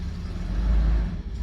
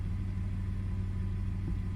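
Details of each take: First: 2002 Toyota 4Runner with start-stall complaint and multiple cylinder misfires, just started from inside the cabin after fuel pump priming: low uneven idle that swells and sags, definitely running rough. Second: 2002 Toyota 4Runner (start-stall complaint with multiple cylinder misfires), engine warm in closed loop: steady, even low idle rumble with no misses, knocks or hunting; it is settling in nicely, a normal idle.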